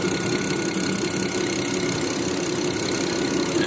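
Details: 2008 BMW 535i xi after repair: a petrol engine idling smoothly and evenly with no stumbles. The cylinder 1 misfire, which had shut down injectors 1–3, was fixed by replacing the #1 injector driver on the DME circuit board.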